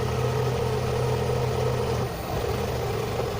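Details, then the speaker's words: Car idling as the MAF (mass airflow) sensor connector is unplugged: idle starts steady, then dips, rises and wavers as the engine hunts on its own before settling back to normal. "bir bir dalgalanma oldu düştüm motor Arkadaşlar bu o kendi kendine bir düzensizlik oluyor yükseliyor düşüyor"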